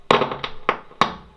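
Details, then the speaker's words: Roland JC-120 guitar amp: sharp irregular pops and crackles on the right speaker only, worse with chorus turned up but still present with chorus off; transistors, electrolytic capacitors and some FETs already replaced without curing it, cause unknown. "s some noise it's crackling like this but the guitar still is sounding both channels the crackling gets more when i turn on the curves a little bit"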